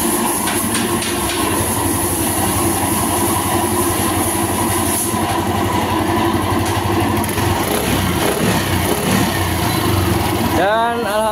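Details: Yamaha Aerox 155 scooter after replacing the stator coil with a long-cable type and rewiring: starter test, small single-cylinder engine catches and settles into a steady even idle with no misses; running normally.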